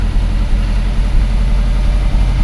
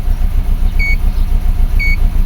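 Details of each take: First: 2004 Subaru Forester EJ20 turbo, low power when cold, after repair restoring injector current: deep, steady idle with slight lope, no skips; a bit rough, expected after repair, no misfire. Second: 2004 Subaru Forester EJ20 turbo with low power mostly when cold in the morning, idling at start: rough, lumpy idle with an uneven low pulse stumbling every few beats, plus two short beeps; steady misfire, cause still being diagnosed.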